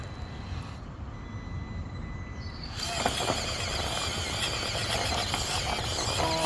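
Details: Stock Traxxas TRX4M Defender with budget upgrades (Injora tyres, brass wheels, caster blocks, drive shafts) climbing rocks. Steady motor whine with light gear hum, no clicks, knocks or grinding. Normal motor noise under load; the drivetrain is healthy.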